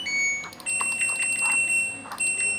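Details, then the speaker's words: LG Direct Drive front-loading washing machine, module repaired for hard-to-start fault (corroded board, previously repaired power supply, reset transistor modified): after repair, short high beeps then steady power-on tone; switching off and on now works normally. "Dan jika sudah normal seperti ini, kita matikan pun sudah normal, dan kita hidupkan pun sudah normal."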